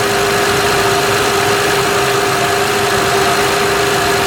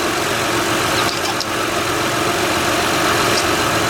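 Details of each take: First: 2006 Honda Odyssey EX-L with a freshly replaced power steering pump (the original leaked at the shaft), filled with Honda fluid: a steady high whine over idle as the pump groans on air before it is fully primed. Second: 2006 Honda Odyssey EX-L at idle after the power steering pump replacement and a new oil-soaked-belt replacement, with an even, smooth hum and no pump whine or groan; no leaks are found.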